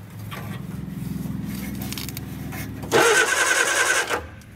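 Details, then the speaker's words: Barn-find Austin-Healey Sprite engine, first crank via starter cable with oil-pressure line blocked: even, steady churning, turns over freely with no binding; cranks normally, spark not yet checked. "turns over really well actually"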